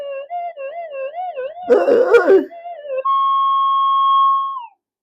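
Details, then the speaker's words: Older pulse induction metal detector modified for VLF-like sensitivity to tiny gold, frequency turned up: a wobbling whistle near 600 Hz breaks into a crackling squawk, then jumps to a steady high tone. Phase-locked loop totally out of lock; fix by switching off and on. "oh there it goes it's it's cracked it it's the pl totally out of Lock and it's very easy to fix"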